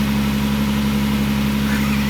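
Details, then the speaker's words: Alfa Romeo 90, first start after 22 years standing, engine totally cold: steady, even low hum with constant tone, no knocks or stumbles; normal cold idle with good oil pressure. "okay great then I let it run a bit to warm everything up from standing that's good but it's running okay"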